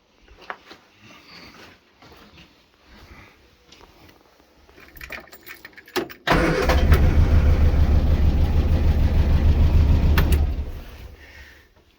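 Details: Morris Minor Traveller petrol engine on fast idle (would cut out at low idle) after a misfire on a long road trip; pulling plug leads shows cylinder three dead, lumpy uneven beat; HT lead ruled out.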